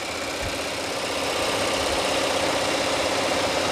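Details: Ford BT50 diesel injectors after repair for stumbling and stalling on acceleration, on a test bench: steady, fast, even ticking spray over the bench motor hum with no misses; all injectors deliver equal amounts.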